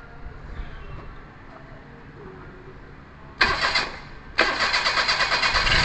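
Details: Perodua Kancil after carburetor replacement, with coolant, engine oil and gear oil checked: after a pause the starter churns in two bursts at about three beats a second without firing. Cranks but won't start; timing needing adjustment suspected, fuel delivery to the carburetor to be checked.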